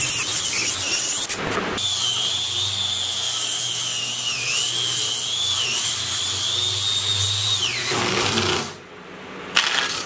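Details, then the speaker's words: Angle grinder about 10 years old, pushed hard under heavy load: high wavering whine that wobbles in pitch, strained rough running; owner believes the motor burnt out, maybe worn or dirty brushes, not sure. "well, it would appear that I burnt out the motor in my angle grinder. I have been pushing it pretty hard. It's been a heavy load on this guy, and I've had this for probably about 10 years now, but take a listen. It sounds awful."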